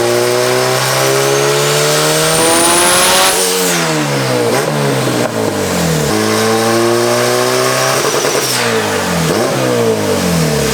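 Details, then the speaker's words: Big-turbo Honda Civic with stock 1995 Integra GSR B18C and eBay turbo parts on the dyno: loud revs climb hard and drop repeatedly with rising turbo whistle; making far more boost than it should, owner suspects boost controller or wastegate. "Something has definitely changed in terms of boost. Like, it's making a lot more boost than it should be. It does not like it, which makes sense."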